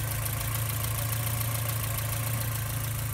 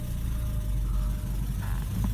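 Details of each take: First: 1987 Porsche 944 Turbo at idle after engine reassembly, headers also sounding leaky; steady idle with a faint, irregular sharp clacking riding on the exhaust note from an unseated spark plug boot arcing. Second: 1987 Porsche 944 Turbo, long-sitting car, idling after engine reassembly with new seals and oil pan; low, steady idle rumble with no misses or knocks, boost gauge moving, idling well.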